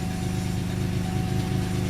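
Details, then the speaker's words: 2002 Chevy Malibu 3100 SFI starts after crank sensor replacement (oil in sensor plug grounded it, causing shutdowns), settling into a steady even idle, slightly noisy with cold loose-cylinder knock until warm; normal idle. "all right yeah it sounds a little noisy it's those are worst of our problems"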